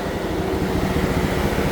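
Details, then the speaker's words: 2015 Chevrolet Silverado just started, said to be running poorly with O2 sensor codes, a misfire and erratic gauges: steady, loud whooshing roar of the cooling fans over a low engine rumble. "All right, customer states that this truck is not running right, but listen to the fans."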